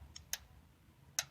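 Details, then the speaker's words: 2006 Honda Odyssey, engine off, VTEC/VCM solenoid activation commanded via scan tool through PCM while diagnosing P2646: two sharp distinct clicks about a second apart; solenoid actuates normally, so the fault lies elsewhere. "Is I can command through here, goes to the PCM and commands it to come on, which is a sign that everything's working fine."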